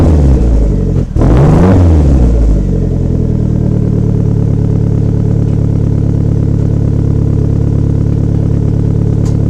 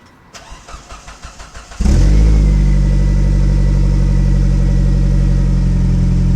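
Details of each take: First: Unspecified car after rebuilding damaged piping with new pipes and resonators, no mufflers: fires up with throttle blips, then settles into a deep, loud, steady rumble; an even, healthy exhaust note after the repair. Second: Before-repair idle: engine cranks briefly, then a loud, deep, raspy drone from a muffler crushed and twisted driving over parking lot entries, overheating the rear bumper; damaged exhaust muffler, to be replaced with new piping and resonators.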